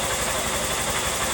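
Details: Honda Bros 160 single-cylinder after repair of a recurring engine noise: a steady, even putter with a fine mechanical hiss and no knocks, rattles or shaking. A normal, healthy idle.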